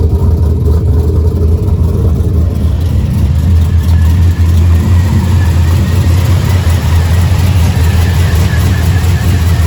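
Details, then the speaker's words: 6.0 LS built into 6.2 with TSP cam, in truck with 4L80 transmission, cold start after water pump replacement: deep, steady V8 idle with even low throb, no knocks or ticks; normal cold start and idle. "Alright, so I went ahead and hooked up the battery, and this is gonna be obviously a cold start since I changed the water pump."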